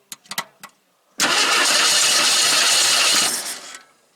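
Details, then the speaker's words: 1977 AMC AMX Hornet junker, fired after reconnecting the disconnected coil wire: a few clicks, engine catches and runs loud about two seconds then dies; probably needs more gas in the bowl, battery weak. "probably gonna need more gas."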